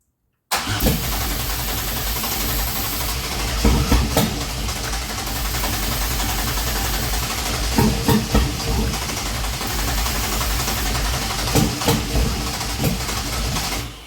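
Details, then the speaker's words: 2004 Grand Am, 3800 supercharged swap, first start attempt, supercharger belt off: long uneven cranking with a few weak catches that die immediately. Cranks but won't start; spark present, fuel delivery suspected insufficient. "Man, it's so close. It wants to start. It's definitely not getting enough fuel. But she's definitely sparking."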